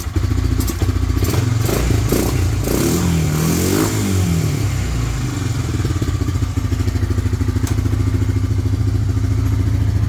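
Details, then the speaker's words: 1998 Honda 300 4x4 ATV, sitting for years, running after a Honda Foreman 450 carburetor was installed and the gas tank vented; steady single-cylinder thump at idle with a few throttle blips, no misses or knocking, no smoke. Normal running. "Hey, it was running really good. It wasn't even smoking."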